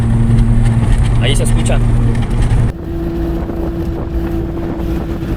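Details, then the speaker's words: Car driving with a steady droning hum over road rumble from a worn front wheel bearing in the hub, eroded by water and dust; a damaged one may show play when the wheel is moved by hand; fix is replacing the bearing. "Este valero se encuentra insertado en la masa del carro y es común que le entre el agua y el polvo. Por consecuente se erosiona y comienza a sonar escuchándose algo así."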